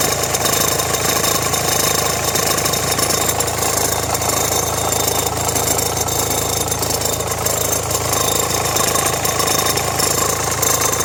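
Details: Renault Megane 1.5 dCi idling with radio, rear window heater and blower on: loose, uneven metallic rattle over diesel clatter from the accessory drive; belt and tensioner already replaced, owner suspects alternator or AC compressor.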